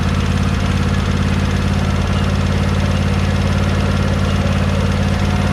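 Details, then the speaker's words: John Deere 100 Series lawn tractor small petrol engine idling with a light regular tick after valve adjustment; valves were already tight, so no difference in noise. "i hope you can hear that ticket i mean because the valves weren't loose they were tight i didn't expect it was going to make any real difference in noise"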